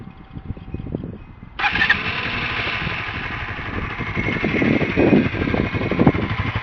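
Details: Newly bought Honda CBR125R four-stroke single motorcycle, about 75 mph top speed, outdoors in wind; after a short crank it catches cleanly, even beat with crisp throttle blips, no knocks or rattles; normal start and revving.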